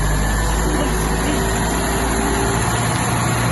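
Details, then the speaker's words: Ford Pinto engine in a Mk2 Capri GT, first run in about 20 years and exhaust not yet cleaned, idling smoothly and evenly at a raised choke idle; a bit of choke smoke, no blue smoke. "And it's sat here ticking over. Other than a bit of on-choke smoke, no blue smoke, no nothing."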